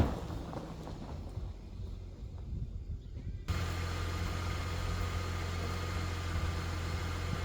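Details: Holden VY Commodore engine started after sitting a few weeks. It catches and settles into a steady, even low idle with no knocks or misses, and sounds healthy.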